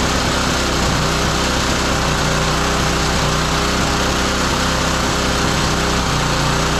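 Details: Roadside-found lawn mower engine for a minibike, first start after swapping a part: loud steady small-engine buzz, fast even firing, no knocks or misses; runs smoothly.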